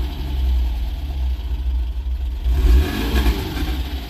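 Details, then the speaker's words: Porsche 914 idling about 800 rpm. A quick, clean, zippy rev drops back smoothly to idle; crisp throttle response, normal free revving. "Very zippy. See if the idle comes back down."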